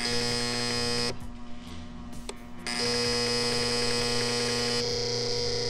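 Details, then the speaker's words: 1986 Audi 5000 bought not running, key on during hall sensor testing, engine off: steady high-pitched electrical buzz that cuts out and returns; relays suspected, not confirmed. "your relays are all pissed"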